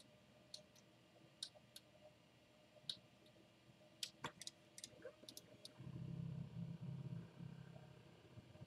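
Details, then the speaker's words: Newly assembled 3D printer during auto-home. Scattered light ticks, then a harsh low buzzing grind as one stepper motor seems to keep driving after reaching its end position. Suspected stepper grinding at end of travel, not confirmed. "it home doll there but it was like the when it did one of the stepper motors sounded like it was still trying to go when it got to the same date"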